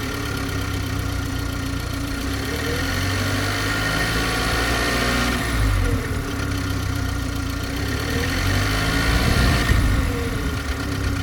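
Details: BMW G20 330i: engine idling evenly with an odd rhythmic knocking and wavering tone over the top, about three beats a second, source unclear; abnormal engine noise at idle.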